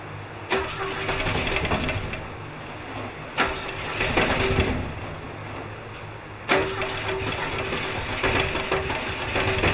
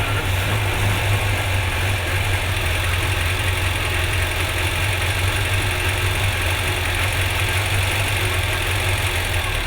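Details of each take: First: Four-cylinder car with a spark plug lead left off: lumpy, uneven running with stumbling beats and surges on 3 cylinders; misfire on one cylinder. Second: Vintage car after a loose plug lead was refitted and it had run rough on 3 cylinders, possibly rich: steady, even idle with a smooth low drone and no misfire stumble, all cylinders now firing evenly.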